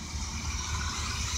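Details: Vintage Chevy P30 motorhome carbureted V8 after replacing distributor cap, rotor, ignition control module and coil: smooth even idle around 750–800 rpm, no misses, healthy.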